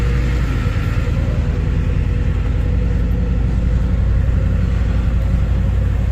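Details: Ford 7.3 Powerstroke diesel that began cutting out, progressively worse, on the way back after hauling a shipping container; suspected bad CPS sensor. After a new sensor was fitted, it has run about 10 minutes with a steady, even deep rumble and no stumbles or cut-outs.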